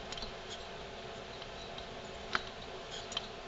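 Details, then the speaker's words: Stihl MS290/310/390 chainsaw rolled over by hand: faint uneven ticks from loose balls slapping in a failed plastic crankshaft bearing cage (bearing 6203 C3); fix is new bearings and seals. "the little ball bearings slapping against each other and they should not be able to touch each other as it rolls over"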